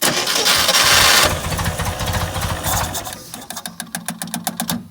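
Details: 1969 International Scout, long stored in a garage, starting again: it cranks, catches, runs rough, then stumbles with sharp irregular pops as it nearly dies; the carb's accelerator pump is broken and not hooked up.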